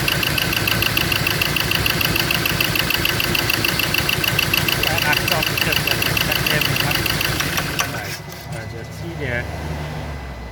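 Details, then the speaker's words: Ford Ranger diesel, previously not starting, idles lumpy and shaking with a heavy uneven thump about three times a second, firing only on cylinders three and four; cylinders one and two dead, their injector wires getting no electrical pulse. "so i did get it to start but i it only fired on two cylinder in on um four three and four two one and two is not firing"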